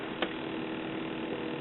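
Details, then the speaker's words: Vertical oscillator in a 9" RCA black-and-white tube TV (1974, sold as 1975 model) gives a high buzz with faint rapid ticking; vertical hold at end of range has no effect on sweep, with no vertical deflection at all. "that high high paste uh ticking sound that's the vertical and when I turn the vertical hold control you see that's running very slow low and that's where the vertical hold all the way to the end of its range but it has no effect on the sweep"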